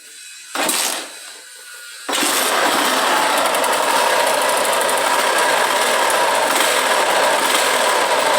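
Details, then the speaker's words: Around 2002–2003 motorcycle engine starts and idles with a harsh metallic rattle and whir; suspected worn gearbox or crankshaft bearings (rod, cylinder also considered). "pessoal barulho estranho no motor aqui é uma uma ksz 2002 20034 por aí dar uma ligada no motor aqui para nós V tipo um"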